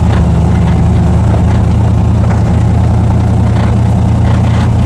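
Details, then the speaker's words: 1960s muscle car after spray-foaming the body, cabin recording on a bumpy road: steady low engine drone, no more buzzing from the back left corner or brace, though window regulators still rattle faintly on the right side. "So this is actually pretty awesome. I don't hear the buzzing out of that back left-hand corner at all."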